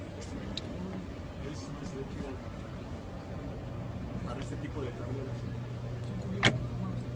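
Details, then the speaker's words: ABB AF contactor versus a conventional contactor with a 220 V coil, supply voltage ramped up: steady low buzz, then a sharp click. The conventional coil hums undervolted, closes around 130 V and keeps vibrating until nominal voltage; the AF closes near 70 V. "contactor a efe cierra aproximadamente 70 volts mientras que el contacto convencional no ha cerrado y se escucha la vibración"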